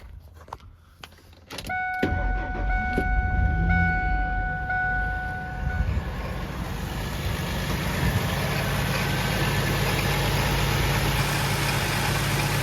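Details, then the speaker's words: 2003 Ford F-150 single cab, swapped-in replacement 4.2 V6 after a rod-knock engine: starter whirs briefly, catches, settles to a steady even idle without knocks, runs still, no smoke; healthy. "And it runs steel. Doesn't smoke."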